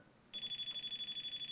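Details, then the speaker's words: Non-contact AC voltage tester on old hardwired smoke detector wiring: shrill rapid pulsing tone detecting live black (hot) wire before breaker is turned off. "But, you just push it and the black wire's obviously the hot wire."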